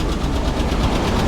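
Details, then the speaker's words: 1985 GMC Sierra 1500 with a 3-speed, after a drive: a quick, light tick rides steadily over the low idle and persists despite fresh gas; the problem is suspected in one of the three passenger-side cylinders, cause not confirmed. "It doesn't seem like the new gas has done any good, and we definitely have that tap still going on."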